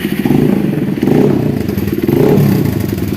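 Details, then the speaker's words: Honda CRF150L after replacing the clutch shaft bearing, which had caused rough clutch-side rattling: revs rise and fall smoothly with no clatter from the clutch side. A sharp puffing tick comes from a leaking, poorly seated exhaust joint gasket. "Ya, ini karena knalpotnya ganjelnya kurang pas, masih bocor. Yang jelas ini suara mesin sudah halus, berarti sudah beres ya, teman-teman."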